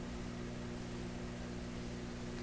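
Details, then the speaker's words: PYE Columbia Stereo 360 amplifier: constant low buzzy hum at steady pitch and level; the second filter shows no hum and the selenium rectifier is ruled out, so the source is still undetermined. "We see no hum in the second filter here, as there should be, no hum, yet we hear a hum."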